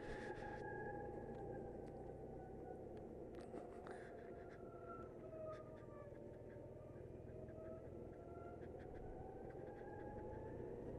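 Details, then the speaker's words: 2019 BMW C Evolution Plus electric scooter riding: thin steady drive-motor whine over road and wind noise, rising with speed; normal electric drive motor whine. "like if you can hear that whining noise maybe it makes that all time"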